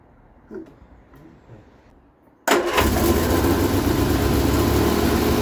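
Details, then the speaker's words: Vauxhall Viva HC barn find: quiet clicks, then catches abruptly and settles to steady idle on fuel poured into the carburettor; ignition seems fine but it isn't getting fuel, owner suspects supply/filter, before repair. "she seems to be fair and nice but not getting fuel"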